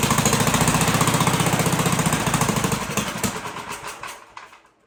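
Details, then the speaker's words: 1958 Gravely Model L single cylinder, sat about a year, first start after getting fuel to carburetor and turning needle valve out, choked, throttle not hooked up: uneven chugging about 220 beats a minute, stumbling and dying out. "Oh, better than it's been doing. The throttle hooked up either. All right. Turn on the exhaust fan. Getting there, we're getting there."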